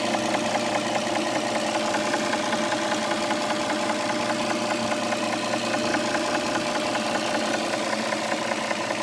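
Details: 2007 Dodge Charger 3.5 V6 idling, oil level correct: a steady light ticking knock, roughly two to three a second, over the engine hum; owner suspects lifters or rocker arms, not confirmed.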